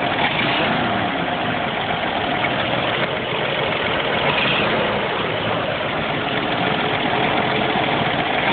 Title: CCKW engine knock